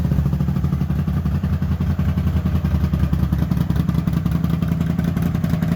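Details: Honda GL400 Silverwing twin running before carb strip, previous owner reported a left-side problem: lumpy, uneven low thump around three beats a second with loose clatter.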